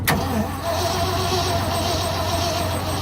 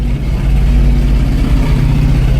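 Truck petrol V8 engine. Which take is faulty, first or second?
first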